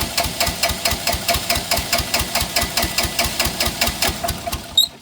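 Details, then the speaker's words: Bobcat 328 mini excavator diesel, sitting for months, injectors previously replaced and smoking since: heavy chuffs about two or three a second while cranking, quickening as it begins to catch with black smoke; overfueling suspected; hard cranking. "It's starting to pick up some speed. Yeah, yeah. See all that black smoke."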